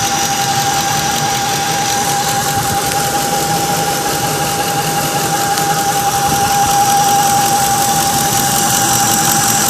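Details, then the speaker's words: 2004 Ford F-150 Lariat V8 idling: steady high whine at one pitch from engine; owner suspects water pump or power steering pump, not confirmed; truck also has white exhaust smoke and vibration. "I'm suspecting the water pump or the steering uh pump. I'm not quite sure. I'll let you I'm just going to stop talking. that you'll uh hear this uh whining noise."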